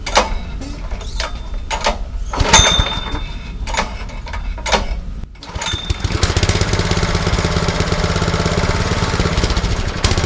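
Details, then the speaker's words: Classen TS-20 overseeder's worn Honda engine, suspected top-end or valve-guide fault, started on choke: ragged misfiring run with gunshot-like exhaust pops as fresh oil bridges the spark plug electrode and unburnt fuel afterfires in the hot exhaust. "So the hot exhaust is igniting the gasoline and it's after firing. It's making that gunshot-like pop."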